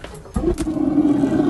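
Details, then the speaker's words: 2020 Jayco Eagle HT 29.5 BHDS RV LP gas water heater lighting after the low hot water pressure fix: soft click and thump, then a steady low roar within a second as the burner lights and holds; normal ignition. "can hear it firing up. You can see it firing up."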